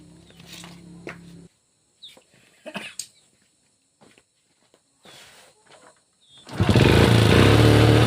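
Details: Honda Supra Pit X/New four-stroke motorcycle, 2000s, after timing chain replacement and fresh oil: smooth even idle, timing chain noise gone; mechanic suspects piston and crankshaft bearing wear.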